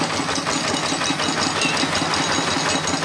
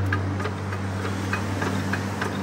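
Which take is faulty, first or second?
second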